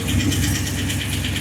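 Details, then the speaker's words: 1976 Ford F250 turbo 331 V8, first start after bigger cam and freshened heads fitted; lights straight off into a steady, slightly lumpy idle with a hint of cam chop, normal clean cold start; tune expected to need readjusting. "Dang, man, this thing starts good. There's a hint of a chop. That's all right."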